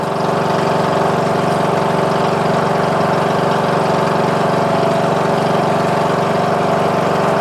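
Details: Murray Select 14.5HP 42" lawn tractor after starter motor and stator replacement, with headlights disconnected, charging at 13.5 volts: smooth, steady single-cylinder drone at constant speed with no stumbles or knocks; normal running.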